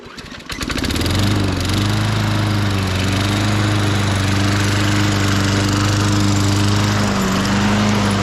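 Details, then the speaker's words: 1998 Ariens 21-inch self-propelled mower, engine VLV60, after repairs and drive belt spring replacement: pull-start catches within a second, steady even single-cylinder drone without misses or knocks; normal running. "so let me get this away from all that junk here and I'll start it up and I'll show you how it operates"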